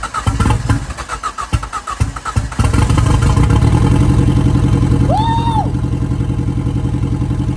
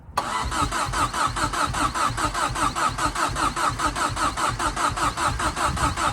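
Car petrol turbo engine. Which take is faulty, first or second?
second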